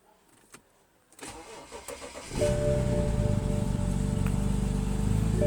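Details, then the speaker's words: BMW X6 on a cold first start of the morning, recorded at the tailpipe: cranks about a second, catches, then settles into a fast idle with uneven pulsing. Rough idle with no error code; mass air flow sensor is suspected. "this car has not been started this morning so the starting sequence of it normally is supposed to not actually have a rough idle but this one does"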